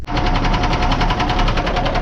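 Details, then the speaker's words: 1979 Kenworth W900A with a Cummins diesel: a loud, rapid, even knock of about twelve beats a second over the idle. Internal engine knock, cause unconfirmed; an expert plans to cut out the injector to see if the noise changes. "he wants to cut out the injector and then be able to see if the noise changes drastically right there, or if it stays the same, and we'll go from there."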